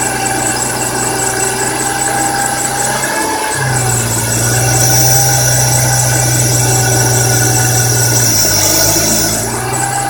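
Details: BMW E46 M3 engine: loud steady squeal over the engine with a fast chirping, scraping pattern that shifts as revs change; cause unknown.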